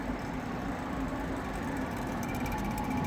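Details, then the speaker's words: Indoor blower motor on an AC unit that stopped working again, run manually via contactor with amp clamp, drawing about 10.6 amps: starts rough, steady drone with uneven rumble, whole motor visibly flexing; suspected bad bearings, likely the problem. "but yeah that thing's a problem and look at how it's VI like it was moving let's see this thing that might be our problem starts up rough now watch it look at the whole motor is like flexing I'm leaning towards that being our problem"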